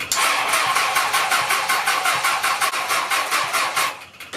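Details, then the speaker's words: 1980 Honda CB750C four-cylinder in go-kart, new dual Mikuni 34mm carb swap, on choke: slow labored cranking about three turns per second, never fires, fades out; battery dead, kill switch likely off. "battery's already like dead so I'm just gonna raise it"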